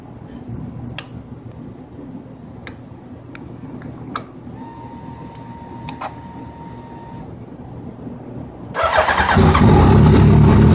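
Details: Suzuki Hayabusa: steady cranking about three beats a second drags several seconds before catching and roaring; hard start, owner says fuel pressure drops as the bike spins over to start, cause unresolved.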